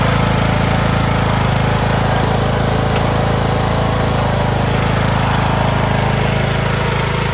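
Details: Craftsman T1600 (MTD-built) lawn tractor, 46" deck, Briggs 19hp, after replacing a blown cylinder head and head gasket, mowing: smooth, constant drone holding speed under load with no surging or knocking. Normal running under load.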